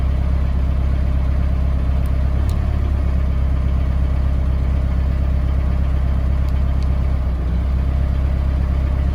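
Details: Mahindra Roxor turbo diesel in cold weather, idling on a low-fuel warm-up tune before switching to the P2 tune: deep, steady diesel clatter at an even low idle, no misses or surges while warming from cold; sounds healthy.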